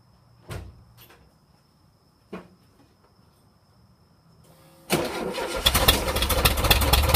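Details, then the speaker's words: 1.7 L VW Type 4 engine: a few starter clicks, then the engine fires and idles with a rapid, steady tapping of about four knocks per second; engine knock, source unknown. "Alright, so I'm hearing a knocking sound in this 1.7 liter Volkswagen motor. See if you can figure out what it is."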